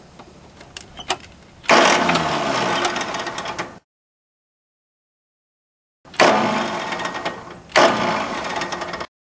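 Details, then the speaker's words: Small Yanmar diesel with air in the fuel system after a fuel filter change, after bleeding the three injector lines: two bursts of steady starter cranking, each a couple of seconds, with no firing. Cranks but won't start. "all right start a rest for a couple seconds here I don't know I just in case while the starter cools down"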